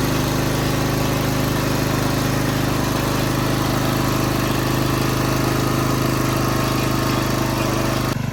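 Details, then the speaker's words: Craftsman rototiller single-cylinder gas engine after spring maintenance and cleaning: steady, even chug at constant speed with no knocks or misses; runs really good. "Well, it runs really good, and I hope you learned something from this video"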